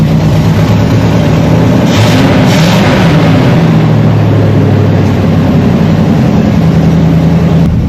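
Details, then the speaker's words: 1979 Chevy C10 305 V8, first start in years after abandoned storage, good battery and makeshift fuel line from a jerry can; deep even rumble with light throttle blips settling to steady idle; normal idle. "she's idling she's alive wow okay I got to shut this thing off before the carbon oxide kills me but there you have it guys 79 C10 305 started right up"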